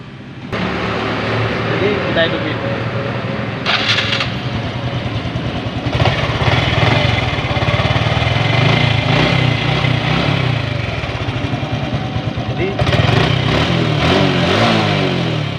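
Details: Honda Revo motorcycle that had a cracking engine noise: start and steady even idle with brief throttle blips, after the camshaft bearing was replaced and the top timing mark reset.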